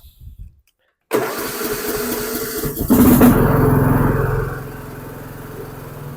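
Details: Dixon 2042 riding mower, 20 hp engine, 42 in cut, after an oil change (about a quart and a half): after a pause it fires at once, picks up speed and settles smoothly, runs like new.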